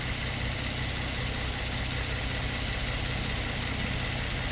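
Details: 2022 Kia Stinger, 32,000 on the clock, low power/limp mode: at idle, fine fast even ticking shows the high-pressure pump working normally with rail pressure restored. It was in full shut-off mode before.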